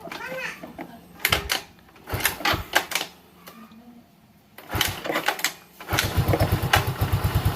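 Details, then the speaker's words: Yamaha Mio M3 (rebored, valves replaced after seizing from oil starvation), after its hard-starting fault was fixed: a few cranking clunks, then it catches and settles into a quick, even putter without throttle; starts and runs fine. "dia mau hidup ya sekarang tuh jadi tanpa di gas pun sekarang dia mau hidup"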